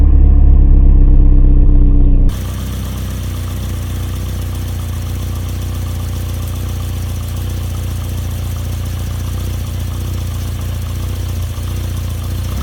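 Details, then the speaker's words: Barn-find Volvo 480ES on a replacement ECU, fuel pump primed: catches quickly, almost at the first turn of the key, then settles into a steady, even low idle with no misses; normal start and idle. "I haven't actually checked anything at all when the car started I just wanted to see if it started and it did it started almost at the first turn of the key"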